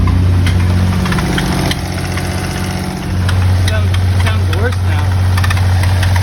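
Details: 1991 3000GT VR4 at start-up and idle: a steady low idle with an irregular light tapping at about four per second. Abnormal noise, source unclear.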